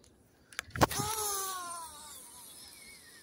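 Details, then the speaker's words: Abu Garcia C3 4601 baitcasting reel cast after slightly increasing axial brake, one brake weight: whistling spool pitch sliding down smoothly over two seconds, even spin, normal. "То есть я не ослабляю тормоза, а усиливаю их. Так. Вот такой свист будет хорошо. Заброс."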